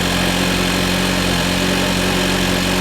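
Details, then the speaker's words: Nissan Juke after repair of a cylinder 2 misfire: on first start it settles into a steady, even idle with a smooth low hum and no knocks, misses or hunting; the service engine soon warning is still on. "That sounds better. Don't rev up on it. I'm not touching anything."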